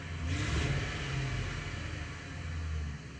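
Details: Ford Crown Victoria at idle with a misfire detected. A low idle rumble lopes and stumbles unevenly instead of running smooth; a cylinder is misfiring.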